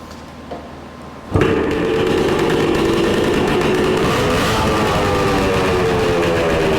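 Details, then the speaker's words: 1966 Suzuki Bearcat 120cc two-stroke, revived after sitting dormant, restarted before being heat-cycled to find an oil leak: after a second of quiet it fires instantly and settles into a crisp, even idle; it runs fine. "Sounds so good. Let's push this thing outside so we can let it heat cycle."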